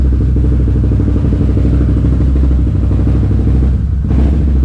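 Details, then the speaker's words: Can-Am Renegade race quad after a new pitman arm and alignment, still running rough: an uneven idle thump that drops out for a fraction of a second; owner suspects the throttle position sensor and plans to read fault codes. "And she's still running rough. I gotta hook it up to buds. See what fault codes have been thrown."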